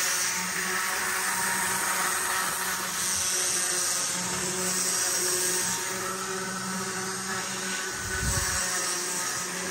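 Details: Athearn model train locomotive under power: steady small electric motor whine under a harsh, raspy grinding. It grinds on clockwise corners but not counter-clockwise, and is silent when pushed without power.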